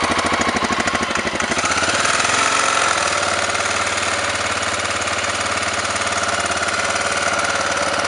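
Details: Honda NX650 single-cylinder engine knocking and smoking, owner asking the cause: loud idle with an uneven heavy knock about two to three a second; cause unknown.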